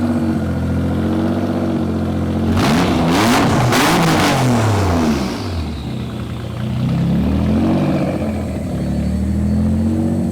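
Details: Barn-find Nissan Z32, about 600hp (440 kW), after service, ECU coil-pack dwell fix, O2 sensors reconnected and blast pipes fitted: sharp full-throttle revs rising and falling cleanly with crisp exhaust crackle on overrun; pulls strong, healthy.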